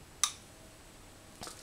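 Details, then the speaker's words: Mazda MX5 engine bay, connecting the ignition-fed supply during cam position sensor diagnosis: one crisp click as the main relay in the engine compartment fuse box pulls in, then a faint tick; normal. "so when we connect this we'll hear the relay click on and"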